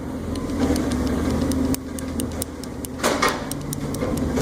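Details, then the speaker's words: Corvette rear sway bar rocked by hand, camera on the ground, a trash truck rumbling nearby: sharp irregular clicks and knocks; loose rear sway bar end link, far louder when driving. "and that's like 100 times Lotter when you're driving on the street I'm just doing this with my hands there he goes see it's too loose there"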